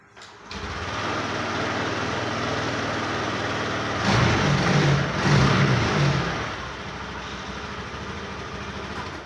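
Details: Honda Activa 6G scooter after fixing an engine noise problem: fires up into a steady, even idle and takes a brief throttle blip cleanly, no knock or rattle; noise gone, running normally.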